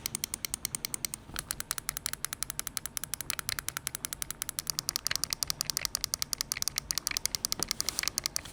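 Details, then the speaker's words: Finalmouse ULX Frostlord gaming mouse, M1 and M2 main button switch test: crisp, sharp clicks about three to four per second with nothing behind them; switches sound clean and normal. "I mean, sonically, it sounds fine."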